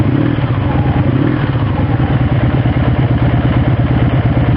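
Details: 1984 Honda V65 Sabre V4 motorcycle, 135 hp, redline 10,000: steady, even lumpy thrum at idle around 750–800 rpm with no misses or knocks; owner says it runs great; normal healthy idle.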